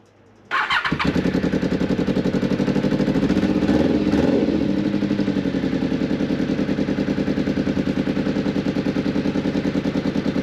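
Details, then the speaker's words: Newly bought motorcycle started up around 8 a.m. with a blowing exhaust, so it doesn't sound as it should, though no rattles are audible. Fast lumpy idle with a sharp puffing chuff on every firing pulse; exhaust leak. "So yeah, the exhaust is blowing, but you can't hear any rattles, can you? Sounds pretty quiet."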